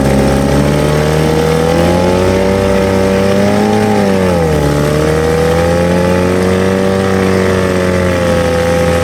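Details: 1950 Johnson HD 25 2.5 hp two-stroke outboard after carburetor adjustment, pumping water well: steady buzz at even speed with one brief dip and recovery, no misses. Running healthy.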